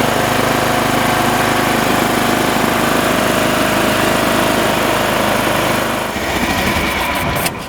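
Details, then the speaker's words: Briggs & Stratton engine on a Time Cutter Z480 mower that wouldn't start, after replacing the flywheel key, shroud off: fires and settles into a strong even drone at steady speed, then shut off; runs healthy. "Okay, all is good. I wanted to check for oil leaks here while I had the cover off."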